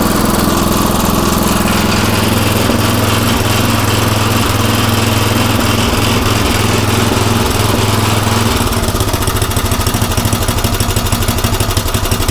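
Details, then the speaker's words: Craftsman rototiller after a new carburetor was fitted, throttle at about three quarters: small single-cylinder engine runs at a steady, even rattle, then picks up speed smoothly without stumbling; it sounds much better than before. "huh well that sounds a whole lot better"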